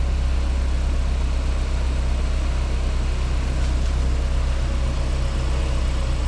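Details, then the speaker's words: 2016 BMW 328i F30 RWD on a lift, in gear with wheels spinning, chasing a highway-speed vibration: deep steady drone with an even thrum about four times a second; carrier bearing silent, cause was a bent wheel, since repaired. "But yeah, in their case, it was a bent wheel causing all their vibration going down the road."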